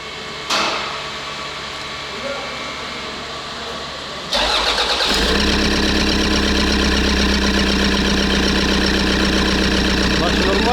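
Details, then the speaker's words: Rebuilt Toyota Land Cruiser Prado 1KD-FTV diesel, first start after rebuild with turbo, timing belt and injector work: starter cranks briefly, then catches into an even, quiet idle clatter with no knocks; normal idle. "Tout semble fonctionner normalement, les gars, qu'en dites-vous ? Doucement, silencieusement."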